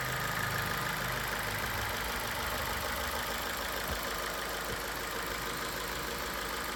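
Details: 2015 Ford New Fiesta petrol, 60,000 km, after fitting a product to reduce the chronic engine tapping: even idle with only a faint light tick in the background, steady and smooth; noise much reduced, normal idle.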